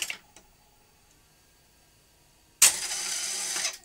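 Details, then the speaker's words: Philips N1502 early VCR after drum drive belt replacement: near silence, then a shrill whirring hiss from the head drum mechanism for about a second; strange noise persists after belt fitting. "let's see if it works no the uh i can still hear that strange"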